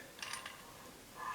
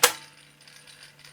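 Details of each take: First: Garrard 86SB record deck after repairing a worn gear; a few light clicks and a short ratcheting shift as the speed selector moves 33 to 45 and back to 33; speed change mechanism works normally. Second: Garrard 86SB record deck motor: after the start-up thump, a steady low hum with a faint scratchy rasp repeating several times a second; rotor likely rubbing the coil sides, bearing inspected.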